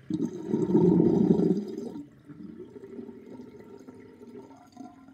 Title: Interesting sinkdrain with sinkplug 38.5 mm with chain and loud gurgling sound